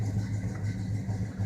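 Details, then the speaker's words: 1984 Chevrolet Silverado C10 shortbed, cold start after sitting two to three weeks: starts quickly and settles into a low, steady V8 burble with an even beat and no knocks or misses. Healthy idle. "I started up that's real good"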